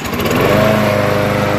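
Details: Troy-Bilt mower with Briggs & Stratton 6.75 engine, garage-sale find with new oil and gas, after carburetor cork gasket fix and three primes: starts straight up into steady, even buzz, no surging or misses.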